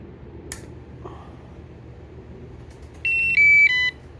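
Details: OKP Life K2 robot vacuum after replacing the battery to fix the red-ring fault. Short clean series of three rising-then-falling electronic beeps in a quiet room; normal power-on chime.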